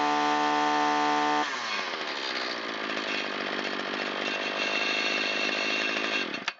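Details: Shindaiwa T272X string trimmer test run after piston replacement and Walbro carburetor rebuild, on 40:1 mix at full throttle, half choke. Clean steady tone, then a crisp, even high-revving buzz for about five seconds. Normal running.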